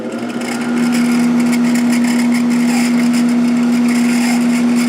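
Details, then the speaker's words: Sharp 10,500 BTU air conditioner fan motor after sitting unused, slow to reach speed, running at full speed: steady hum with a harsh repeating squeal from a dry front bearing needing oil. "you can hear that bearing squeaking like crazy there's our current amp draw"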